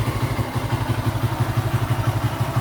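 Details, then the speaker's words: Restored Honda Astrea Star single with a knock-off (KW) carburettor, idling with a steady quick thump and a faint light tick on top. Valvetrain clatter from a previously ground rocker arm, slack cam chain and damaged camshaft; the engine is about 60% damaged. "Ini kendalanya dari pelatuknya. Pertama datang pas saya bongkar itu sudah di gurinda, rantai ketangnya kendor, noken asnya kena gitu. Jadi ini ngaruh nanti ke lamsam ke depannya sama suaranya juga, Bu."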